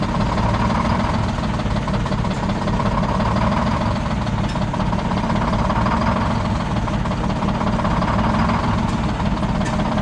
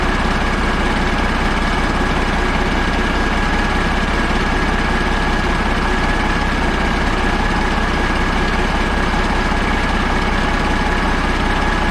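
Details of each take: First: Old Detroit Diesel 6-71 two-stroke, last run before removal: deep uneven idle rumble with an irregular skip and lumpy beat, engine shaking badly; one cylinder not firing, raw fuel dumped out the exhaust. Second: Caterpillar 3406A diesel idling before installation in the truck: steady, even idle with a deep rumble and regular clatter about three beats a second; running healthy.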